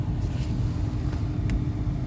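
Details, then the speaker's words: Newly replaced blower motor in a Dodge Durango (2004-2009) or Chrysler Aspen (2007-2009), first power-on. A steady, even mid-pitched whir over a low rumble, faster than before with more air from the vents. Normal operation after the repair. "than before that's a good sign sounds faster and sound like more air sounds like there's more air coming out on the vent right"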